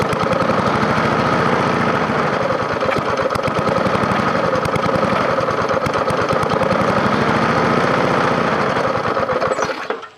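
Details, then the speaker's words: Free scrapyard push mower with a 4.5 hp engine, first start after adding gas: rough chug swelling and sagging, then stalling, needing priming to keep running; owner plans to pull and clean the carburetor. "now you notice I had to come up here and kind of prime this a little bit to keep it running I may have to go ahead and just pull the carburetor off and give it a good cleaning"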